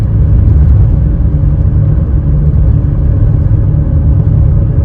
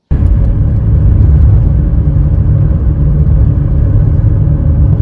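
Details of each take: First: 2WD 2005 Nissan Elgrand 3.5, recorded inside the moving van before repair: a steady deep drone from worn wheel bearings, mainly the front; fixed by replacing front wheel bearings along with brake pads. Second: 2005 Nissan Elgrand 3.5 2WD, cabin recording on road after replacing front wheel bearings and brake pads: steady low road rumble, previous droning gone, no growl rising with speed; front bearings now quiet.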